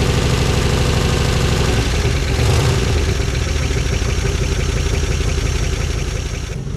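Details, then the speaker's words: 1955 DeSoto Firedome Hemi V8, first start after years in storage: deep loping beat with uneven stumbling pulses, one cylinder not firing. "so that's interesting to me because we weren't getting a bunch of backfiring we had one backfire on a on a start attempt but other than that it just seemed like it was off on cylinders so we switched them around got our champ Leon plugs back in there"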